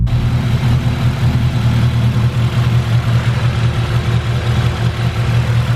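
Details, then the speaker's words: K20-swapped Integra Type R with new turbo manifold, locked in high cam so it drives poorly under 3,000–4,000 rpm and starts reluctantly: loud, low, uneven goofy idle with a loping beat; lopey idle from cam locked on high-cam lobe. "It does have kind of a goofy idle. But yeah, I'll set this up for you real quick so you guys can hear it. Doesn't like to start either because of the high cam."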